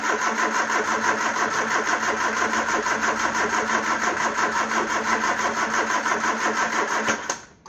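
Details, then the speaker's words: Peugeot 309, cranking to get its camshaft-driven mechanical fuel pump to pick up fuel: steady cranking with no firing. "Doesn't sound like it is, so we'll try a little squirt of carb cleaner and see where that gets us. Anything in there? No, nothing whatsoever."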